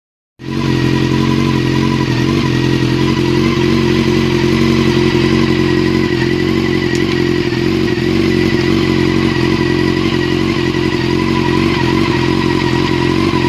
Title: yamaha r6 misfire